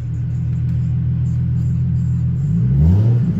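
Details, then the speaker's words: Ford Mustang convertible (5R55-series automatic) revved to the rev limiter in drive with no movement. Engine drones, then revs freely with no load change. Reverse is heard engaging. Transmission slipping with no drive engagement; a failed overdrive sprag is suspected. "when i give it gas i'll show the ground so you can see that's the rev limiter it won't move i'll put it in drive"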